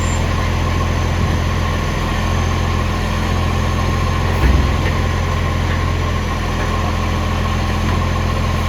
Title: LOUD Exhaust Leak - Ex Canberra 728